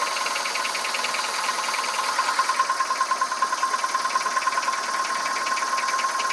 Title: Engine noise (piston slap)